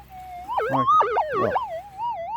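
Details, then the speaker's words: Minelab GPZ 7000 gold detector during a ground balance test on a small gold nugget. The threshold breaks into a wavering, swooping warble instead of holding steady: electromagnetic interference (EMI). "Oh, not that, that's a bit of EMI."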